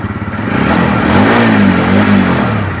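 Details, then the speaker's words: TVS vehicle with ISG silent self-start, after repair: fires and runs cleanly, brief throttle blip then settles; normal start, battery charging properly. "तो हमने अभी check भी किया इसकी battery भी proper charging हो रही है। गाड़ी प्रॉपर स्टार्ट हो रही है।"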